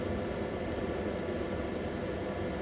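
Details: Repaired 24 V inverter tested on battery, 230 V output with a 600 W lamp load (about 26 V, 695 W, 30 A from battery): smooth even rush of cooling air with a faint steady hum, no buzzing or clicking; running cleanly under load.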